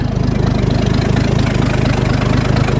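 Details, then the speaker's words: Ford bullnose truck 300 inline six after two-barrel carb swap: steady smooth low idle, no misses or knocks; idle a little low but better than the previous 1100 rpm. "Right on. The idle's a little bit low, but that's all right. It's better than idling at, 1100 all the time."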